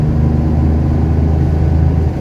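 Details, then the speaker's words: 1970 Porsche 911T on its first road test in 12 years after five months of work, after earlier fuel starvation issues; deep, even note pulling cleanly under load in fifth gear, no misses, stumbles or surging: normal acceleration. "It's not that fast, but it's fast enough. You know, fifth gear works."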